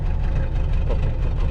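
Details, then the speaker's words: 1995 Mitsubishi Delica L400 with 4M40 diesel, 182,000 km, cold morning start with glow plugs off: uneven stumbling idle misfire with unburned-fuel smoke from one failed glow plug; the miss clears as the engine warms. "You can see here it started, fired up, and you can hear the misfiring."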